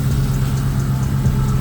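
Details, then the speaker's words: Dodge SRT (Magnum/Charger) at idle just after water pump replacement and belt refit, cold before warm-up: steady low rumble with no squeal, chirp or flutter from the front drive; belt runs quiet and smooth. "I don't hear nothing right now here a lot of uh hear a lot of belt noise in the water but belt smooth belt"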